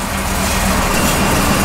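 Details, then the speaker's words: 383 small-block Chevy on Holley EFI idling: switching the AC on drops the idle speed instead of holding it. The IAC position rises as the computer tries to raise idle, without effect. "you can see now we put a load on it by turning the ac on and the idle speed dropped it did not stay the same and the iac position is higher so the computer is trying to bring idle back up by adjusting the iac position however it's not working"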